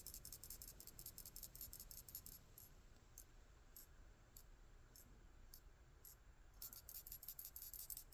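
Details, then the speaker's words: Hyosung motorcycle fuel cap, shared with Suzuki models; the old cap was not venting and let the tank pressurize. Shaking the cap gives light, quick clicking from the vent pinball moving freely: normal vent ball rattle. "One was this has a little pinball that goes up and down to let it vent, and you can hear it whenever you shake this."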